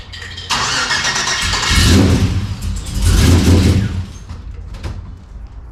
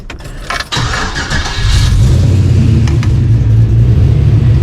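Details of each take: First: LS-swapped 1992 Dodge Dakota V8 on its first start after fitting a catch can and capping the throttle body: long cranking bursts with uneven catching. It seemed flooded with fuel, then started fine; a major vacuum leak was suspected. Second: LS-swapped 1992 Dodge Dakota after a catch can was fitted and the idle screw adjusted, with a major vacuum leak suspected: a quick crank catches and settles into a steady, even idle. It now returns to idle and starts normally.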